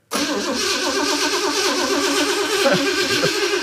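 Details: Small-block Chevy V8 in an old Jeep, ignition disconnected, cranked to prime fuel after new AN fittings: even, rapid starter churn with steady beats, spinning freely without firing; normal cranking.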